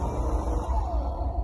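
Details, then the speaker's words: Electrolux pressure washer with long use, left sitting, gives a rough heavy rumble with a wavering higher tone on starting; failed armature, commutator very dirty from brush carbon. "Ele foi tentar funcionar ela e ela fez esse barulho estranho."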